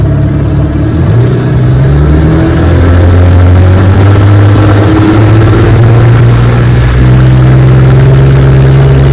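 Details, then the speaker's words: Restored 1961 Evinrude 18 HP two-stroke outboard, test run on the bayou after the slipped prop got new rubber hubs, on a 14 ft Feathercraft doing 22 mph, chilly day: a strong, steady high-rev drone, pitch even with slight swells, no misses or knocking; normal running. "she runs beautiful man this motor screams 22 miles an hour on my 14 foot feathercraft"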